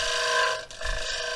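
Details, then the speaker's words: Lathe turning a natural-edge cedar bowl, bottom gouge held straight up and down; a dry scraping cut with a steady high ringing buzz, the tool chattering from being held too high with too much pressure, which leaves wavy lines. "as you can hear it does it's starting to vibrate up there if you get up too high on it and put too much pressure on it and that will leave some some wavy lines or something like that in there"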